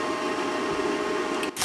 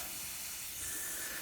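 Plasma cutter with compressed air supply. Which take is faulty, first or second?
second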